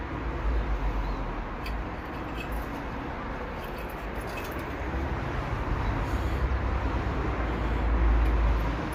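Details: BMW petrol engine running rough with a deep, heavy knock in its low rumble: a spun connecting-rod bearing with conrod failure on cylinder 1.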